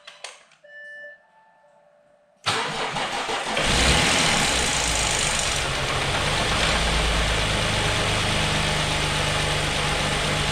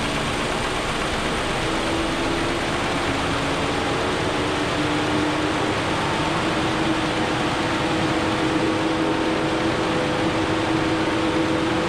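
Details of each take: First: 2013 Audi A6, a non-runner brought back with a weak battery (10 V) boosted: silence, then the starter catches and the engine fires, flares and settles to an even idle; the cooling fan roars, and the owner is unsure whether one cylinder is misfiring. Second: 2013 Audi A6, just revived after being a non-runner, at idle: the cooling fan runs at full speed with a loud steady roar for no reason the owner knows; the engine seems okay, and a possible one-cylinder misfire is unconfirmed.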